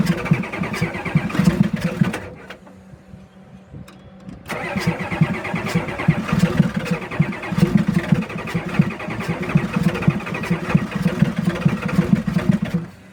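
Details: 1989 Ford F-350 dually 7.3 IDI diesel, replacement engine with 157k miles, first start after sitting about six years: long cranking, a pause, more cranking, then a rough run; owner notes a fuel system leak and failing glow plugs.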